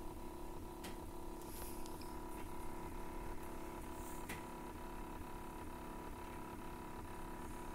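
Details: PrintrBot Simple Metal 3D printer, a day after configuration: regular light ticks, two or three a second, over a steady motor hum; ratchet-like ticking of unknown cause.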